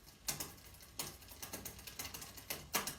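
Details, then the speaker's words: Bicycle rear derailleur indexing: shifter clicks, then quick even chain tick while pedaling; slack cable pushed chain onto side of next sprocket without shifting until cable tension was increased. "it's pushing that chain across but not quite far enough so it's just to say touching the side of the next gear it can't quite make it"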